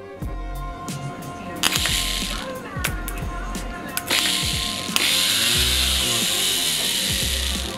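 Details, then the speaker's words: Bedford CF van starter motor, removed after failing to engage following two years sitting, tested on the bench after service: bursts of fast, high-pitched whirring with light ratcheting chatter, spinning evenly; confirmed working, refitted with newer, stronger cable. "Sounds good. We had established that it was working, so we fitted it back in along with a newer, stronger cable."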